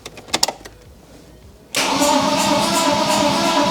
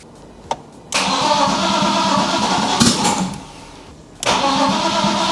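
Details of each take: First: BMW E46 coupe with swapped M52B28TU engine, first crank after reattaching a forgotten starter connector: a few light clicks, then the starter turns the engine over evenly at about three pulses a second. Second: BMW E46 coupe, first start after swapping in an M52B28TU on MS43, still on the B22 map; long cranking, hesitant catch, then uneven lumpy idle that never settles; rough running expected from the wrong engine map.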